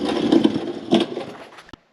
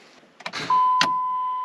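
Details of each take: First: 2005 Dodge Ram 1500 4x4 Hemi swap with new glasspack replacing the blown muffler, recorded from under the truck near the tailpipe; starts after a pause, settles into a loud deep rumble swelling with throttle, exhaust sounds sound and leak-free. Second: 2005 Dodge Ram 1500 4x4 after a Hemi swap from a donor truck with a new fuel pump, antifreeze just topped up: a single sharp click at the key, then only a chime; it never cranks, cause not yet investigated.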